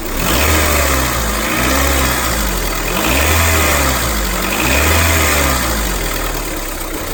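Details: 2001–2005 Honda Civic LX engine revs rising and falling: wavering rough whir following speed, strange noise when accelerating; worn-out timing belt tensioner.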